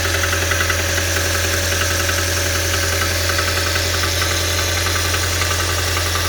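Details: Audi A4 B7 2.0 TFSI at idle: steady deep constant drone with a quick, light ticking riding over it; abnormal engine noise, source unidentified.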